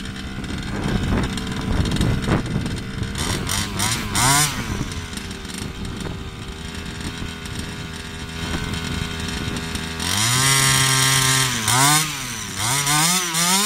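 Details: Baja 5B RC car two-stroke, customer's engine: uneven burbling idle, then blips to a wavering, hunting buzzing scream, no smoke; carburettor or piston ring suspected.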